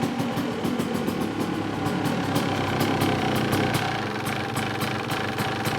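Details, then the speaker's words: Dirt bike single, choke off, idling after carb cleaning and the pilot jet blown out. Even, steady idle with regular light firing pulses and no surging or dying; idling cleanly now that the clogged circuit is cleared. "choke off idling already I like it"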